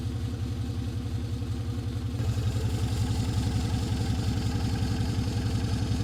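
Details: Restored classic Mini, first start in two years after wiring mods, choke pulled fully out: loud, deep, steady even chuffing fast idle from the small four-cylinder while warming coolant and checking for leaks; normal cold idle on choke.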